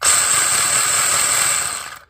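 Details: Kyosho Sand Master 2.0 with a 3300kv brushless upgrade, running on the stock spur gear: shrill, steady gear whine with a gritty edge for two seconds; the spur gear is misshapen with excess plastic flashing, so it meshes roughly.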